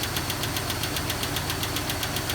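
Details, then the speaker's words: 2001 Jeep Cherokee XJ at cold start: sharp, regular valvetrain ticking at steady idle, suspected lifter toward the back. It fades once oil comes up and is gone when warm; the owner then tried an Engine Restore oil additive. "goes away which i think it's a lifter sounds like it's in the back going away now that the oil is coming up in it's gone"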